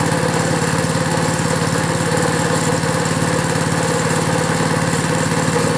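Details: Small pull-start engine just cold-started after hard pulls: steady, even low firing beat around three per second with no misses or surging, running cleanly on its own; normal running.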